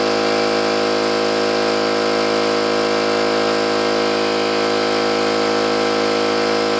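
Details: New oil-lubricated Campbell-Hausfeld air compressor filling the tank under load: steady fast pumping hum with even beat, no metallic clatter or knocking, unlike the old Brute; healthy.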